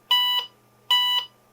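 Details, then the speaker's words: IBM 5170 PC AT booting with an MS-DOS 5 disk in the drive. Two high POST beeps about 0.8 s apart and only one diskette 601 error, down from two. The extra error came earlier with the IBM floppy drive unplugged. "Let's see what kind of error codes we get. Yeah, we only get one diskette error."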